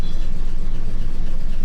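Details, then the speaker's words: 1967 Ford F250, first start in 30 years after sitting in a field, oil pressure gauge possibly not working: steady deep even idle rumble with regular pulse, no knocks or misses; runs pretty good at idle. "possible we don't have oil pressure but this thing just runs runs pretty good runs pretty dang good"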